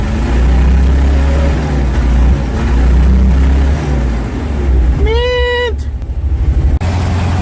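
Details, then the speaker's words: Ford F-600 after a -22F cold start, revved to full throttle. Deep, heavy roar swelling and falling back cleanly with no knocks or rattles; normal revving. "When somebody asks me, they're like, "Oh, how many revs you going to give it?" Halfway quarter throttle. We give her all the way."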